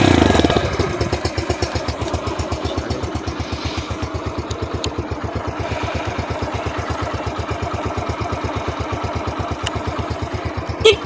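A brief crank catches straight away, then settles into an even, steady single-cylinder idle thump of about six beats a second, so it starts normally.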